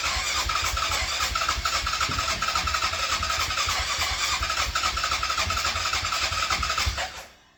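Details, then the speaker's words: Yamaha Grizzly 660 ATV with a fresh battery, confirmed spark, fuel in the tank and the original muffler. The starter spins the engine steadily, about three to four turns a second, for seven seconds without firing: crank no start. Owner suspects low compression, untested. "I'm not really sure what's going on with it uh yeah pretty much so far just crank no start she turns on fine she goes into gear fine"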